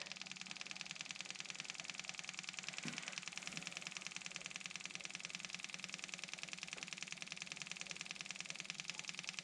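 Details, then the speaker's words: Kubota M6060 tractor at its 1500-hour service, engine off, key on, bleed screw cracked: electric fuel pump ticking about twice a second over a thin buzz, sound changing as fuel fills; normal priming. "you hear the sound of that pump change okay we're getting feel up here"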